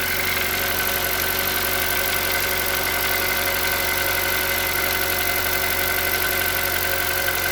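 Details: Hyundai Solaris 1.6 cold start: light, quick knock about four per second over a steady hum at cold idle; engine knock when cold, cause unknown.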